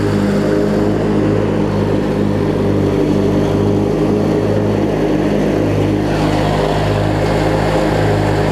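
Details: Craftsman LT1000 opposed-twin riding mower (engine swapped before) running with the blades on and the deck strapped: steady, even drone with no knocks, misses or grinding. Normal running under deck load.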